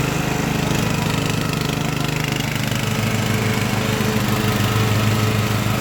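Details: Craftsman LT1000 riding mower with Briggs & Stratton engine swapped in, warmed up after a week unused, test-mowing tall grass with unsharpened blades: steady engine drone with firm, even pulse, no stumbles or knocking; pulls its load fine.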